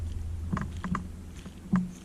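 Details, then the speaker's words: Stock 1800 kV plastic-housed motor on an MJX Bugs 2C drone, before upgrading to Bugs 3 motors: low motor hum with sharp, uneven clicks; the motor still works but clicks and is a little loose, cause not confirmed. "You can hear the clicking. I've had no issues with the motors not working, I just getting that clicking."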